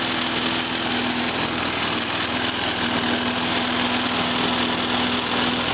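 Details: Walk-behind lawn mower after repair with new air filter, new spark plug, drained gas and carburetor bracket refastened: steady, even crisp buzzing exhaust note with no misses or surging; running healthy.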